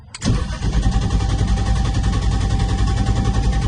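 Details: Turbo M50 BMW E30, normally no starting or electrical issues: cranks and catches, then runs with an uneven low pulse and unsteady beat; hard start with intermittent stalling, cause unknown.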